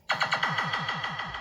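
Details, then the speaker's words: Williams System 6/7 sound boards from Pharaoh and Black Knight pinball, after ROM, socket and DAC 0808 replacement: clean, rhythmic synthesized sound effects repeating about every eighth of a second, no distortion or dropouts; boards working properly. "So we're good to go on both these boards."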